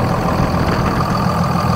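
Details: 2nd-gen 24v 5.9 Cummins after upgrading the lift pump to a 100 GPH, 17 psi Airdog with a big line kit: steady, even diesel clatter and deep smooth rumble; clean, healthy idle.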